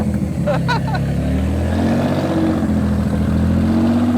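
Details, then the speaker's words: Barn-find Nissan Z32, about 600hp (440 kW), after full service, oil and filter change, ECU coil-pack dwell timing sorted, O2 sensors plugged in and blast pipes fitted: strong clean rev held high, even pitch, no stumbles or knocks; healthy. "Just hold it down for a second. Ra-ba-ba-ba-ba. 65. Yeah, it's healthy."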